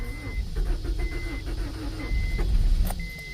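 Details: 1992 Acura Integra, sat over 5 years; new distributor and starter fitted. Uneven starter churning with a chime beeping about once a second; cranks, won't start. Battery running low; owner spraying starting fluid.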